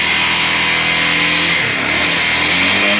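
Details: Honda Bros 150 motorcycle that had no spark: engine catches and keeps firing with a steady, busy buzz and small speed swings, running normally once spark restored after a part was replaced.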